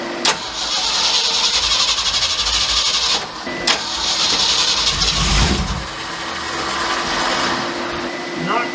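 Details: 1967 Mercury F250 drag truck V8 after distributor cap and plug wires refitted, distributor loose: starter churns in long bursts, never catches; ignition timing off, adjusted little by little until it ran.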